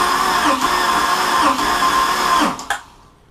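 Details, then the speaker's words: Mercruiser Chevy-block boat engine during a compression test, throttle held open while cranking: steady, even starter whirr with a regular beat for about two seconds before winding down; the cylinder reads about 148 psi dry, healthy compression. "I can feel compression on that one the gauge is physically twisting in my hand that's about 148"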